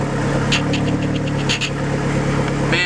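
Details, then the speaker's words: Neon SRT4 first start after a new clutch install: steady, slightly raised idle hum with an even beat, no knocks; cold high idle while warming, air/fuel ratio right, needs fresh fuel, possible vacuum leaks to check. "all right you can tell it's uh needs to warm up because it's obviously high idling which that'll go away"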